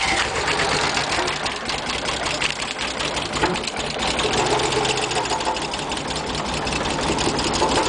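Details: Nissan 300ZX (Z32) starting and idling: rapid, uneven ticking over an unsteady idle that stumbles now and then; bad injectors suspected.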